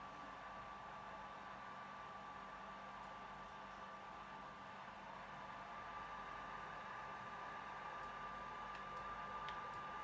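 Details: PS4 console cooling fan running loud: steady airy rush with a thin constant whistle and no speed change; cause unclear.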